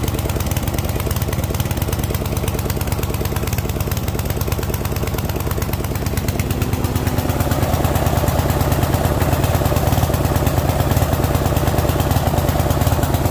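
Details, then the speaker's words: Yard Machine MTD ride-on mower (12.5 hp Briggs & Stratton single-cylinder, 38-inch deck, 6-speed) that had not been running, now started with the choke left on to warm up: an even thump whose speed drifts up and settles. It hunts while cold. "She's hunting a bit, but overall, she starts."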